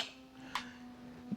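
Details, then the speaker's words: Car AC compressor clutch engaging as the AC is switched on: a sharp single click, then a faint steady hum underneath; normal compressor clutch engagement, whereas repeated clicking would point to low refrigerant or a leak. "And like you can hear that your compressor turns on as in soon as you turn the AC on, you can hear it clicks like that."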